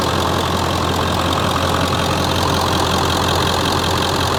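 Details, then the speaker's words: Ford F-350 7.3L diesel, 6-speed manual, 320,000 miles, idling in summer after an oil change (owner notes a little white smoke on cold mornings): steady, even diesel clatter with a firm low rumble, no misses or knocks. Healthy idle. "And yeah, this thing runs pretty darn good."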